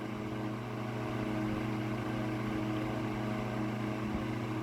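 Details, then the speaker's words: Mid-late 1950s GE Standard strap fan, 12-inch oscillating desk fan F14S125, on high with no oscillation: steady even motor hum with soft air rush, no rubbing or rattling; less airflow than a Vortalex but normal running. "it's not as much air as like a Vortalex would be blowing. But you know, for a fan of this era, this is really good."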